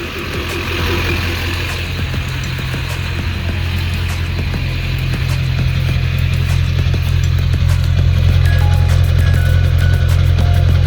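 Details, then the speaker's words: 2001 LB7 Duramax diesel at idle after a diesel purge to clean sticking injectors (number four sticks): now idling much smoother, a steady even low drone with no knock, a little hazy smoke remaining; music plays over it. "you know it's idling a lot smoother there's still just a little bit of hazy smoke but seems like the injectors are a bit happier"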